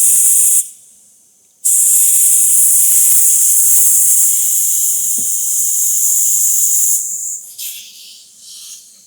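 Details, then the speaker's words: Bentley cooling system pressure test: strong, steady high-pitched hiss of escaping air, fading as pressure drops quickly, a massive leak somewhere toward the hard-to-reach pump area. "Look how quickly the pressure drops. So, there's a massive leak in there."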